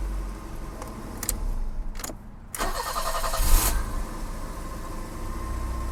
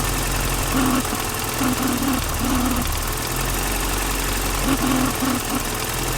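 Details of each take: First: BMW E30 after a control module was replaced, not yet retimed: brief crank and catch, then a smooth, even low idle; idle much better than before. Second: BMW E30 with idle issue, new distributor cap, rotor and O-ring, heard through a screwdriver on the distributor: steady idle hum with faint regular ticking from the distributor.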